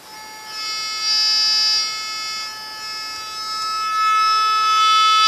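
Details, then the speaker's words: Baylor 6 radio after repairing previously dead audio amp circuit and replacing capacitors, signal fed at high side of volume control: steady test tones come cleanly through speaker, no hum or crackle; audio stage working. "i am able to feed in a signal now at the high side of the volume control and get audio out so let me demonstrate that real"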